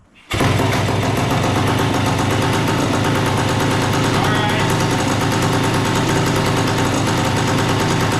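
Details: A 1976 Suzuki TS185 two-stroke dirt bike, long-stored and just revived with no air cleaner fitted, gives a raspy, crackling, fast, somewhat ragged idle at steady loudness. The idle adjustment screw, previously set much closer, is still being set.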